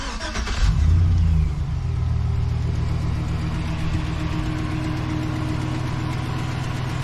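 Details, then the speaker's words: Brief crank, then the 2007 Chevrolet Silverado V8 catches and revs, settling to a steady, even low idle, after diagnosing a no-crank no-start. Starts and runs properly. "it's now officially a running, driving truck."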